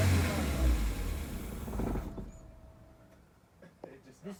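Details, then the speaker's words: Truck after an engine swap, cranked with a new starter and battery terminal: the engine catches, runs roughly for about two seconds, then dies; it starts but will not keep running, with the battery light on and codes still to be read. "so that we can read the codes and figure out why it's not staying running"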